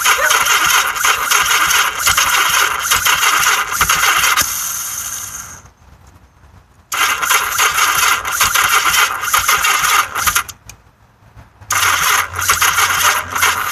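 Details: Yamaha XS1100 motorcycle starter whirs and rattles in bursts with pauses, never firing; crank no-start, cause given as weak battery and an "octy" installed incorrectly.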